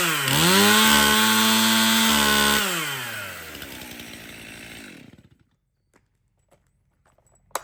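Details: Stihl MS 271 Farm Boss 50cc chainsaw after service (cleanup, new filters, new bar and chain, needle bearing and drum sprocket replaced): revs crisp and even at full speed, drops back cleanly and shuts off with no misfire or bogging; runs and oils well.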